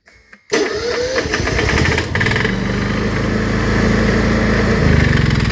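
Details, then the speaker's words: Honda EU7000is fuel-injected generator with a start-then-stall problem, after the repair, which involved a flow measurement (bad about 100 ml, good 120 ml): brief crank, catches at once and runs steadily without stumbling. "and now it runs great let's take a look see here at least it did last"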